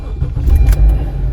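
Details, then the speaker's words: 2016 Honda Accord after programming an additional key: the programmed key cranks briefly and the engine catches at once into a low, steady idle with keys rattling, starting and running normally; the unprogrammed key would not start it. "But this key running. Yeah, that's the car running."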